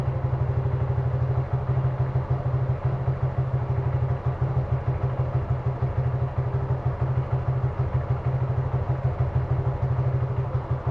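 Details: Suzuki Gixxer carbureted single-cylinder motorcycle with mileage drop: idle thumping about three beats a second, slightly uneven, fitting a lean stumble; rough idle from a suspected carburetor vacuum leak.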